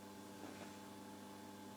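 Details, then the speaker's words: Amerikansk Ljudteknik GF 10 tube guitar amp under restoration: a faint constant hum and hiss from the speaker that never changes; the causing component is unknown. "there's a little bit of background noise here i don't think you can almost hear it but there's something making noise in the speaker and it's there all the time"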